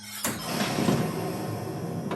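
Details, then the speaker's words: Crackling, buzzy explosion sound effects lasting about two seconds, played at raised volume after a ramp shot on a 1986 Williams PinBot pinball machine; the sound system badly distorts these effects. "And one of the sound effects that's really bad with the distortion is when you shoot up this ramp, it'll make some explosion sounds. And those are very distorted."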